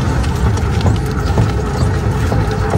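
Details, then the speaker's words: Electric tricycle while driving: dull low thumps about every half second, apparently once per turn of the left wheel, over steady running noise. It was opened up and the axle (half-shaft) bearing was found disintegrated and replaced. "大家先听一下这台车行驶的时候有咚咚咚的声音，"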